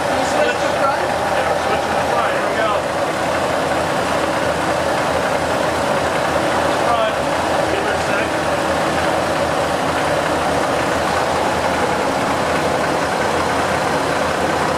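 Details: 1989 Ford F-150 EFI gas truck with two fuel tanks, just repaired and started to check it runs off both tanks: steady, even engine run with a smooth rush and no knocks, misses or ticks; sounds healthy.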